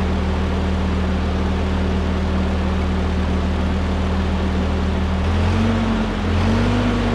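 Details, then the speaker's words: 1946 Ford 2N tractor, flathead four, after head gasket replacement and fresh oil: smooth, even low idle, deep steady hum, no knocks or misses. Normal idle. "it's been purring like a kitten for a little while and I've got it back together so let's see if it goes down the road"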